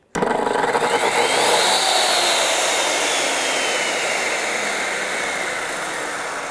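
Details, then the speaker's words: Circular saw motor bogging on a DaranEner NEO2000 LiFePO4 portable power station, inverter overloaded: voltage sagged to 64 V at 60.43 Hz while also charging; saw whine climbs slowly, never reaches full pitch, then sags and fades. "we got this down to 64 volts that's not good at all you can check the Hertz quick we're at 60.4 three so we are way overloading this machine"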